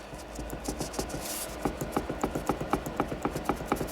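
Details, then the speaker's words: 1971 Toyota Celica TA22 rear diff, which had a whine and clunk, pinion rocked by hand: rapid dry clacks about four a second; excess pinion play, owner attributes it to a shrunken crush washer and gear adjustment, teeth in good shape. "there's a lot of play so that is down to two things there's a Crush Washer in here that will shrink due to abuse and also the adjustment of this um as the teeth will engage"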